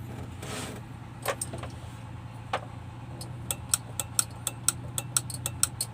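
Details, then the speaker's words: Hino Lohan truck: key turn gives only sharp, rapid relay ticking about four a second and no cranking from the starter; the starter-circuit fuse is the first thing to check for this symptom. "jika Hai starter itu tiba-tiba bunyinya cecak seperti itu langkah pertama yang kita cek yaitu yang pertama kita cek untuk sekring yang ada di sini ya"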